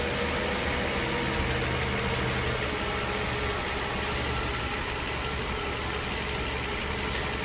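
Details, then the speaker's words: Mercedes M120 V12 after replacement of the upper engine wiring harness and MAF sensor harnesses: a smooth, even idle with a steady hum and no knocks, misses or ticks. It runs clean and healthy. "And now we can hear what a V12 sounds like with a good harness. Start her up."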